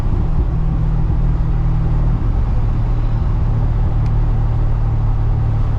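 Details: GTO lifting off throttle after replacing the differential bushing/mount; subframe mounts and driveshaft still pending: steady low engine and road rumble, no driveline clunk or metallic knock; the former metal-on-metal clunk is gone.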